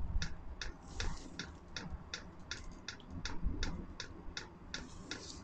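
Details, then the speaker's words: Chinese diesel Webasto-style heater during its several-minute startup: steady sharp ticks about every half second over a low rumble. This is the dosing pump feeding the heating chamber normally; it had earlier been leaking diesel from an unconnected hose. "ah là on entend la pompe normalement la pompe là elle est censée alimenter le corps de chauffe"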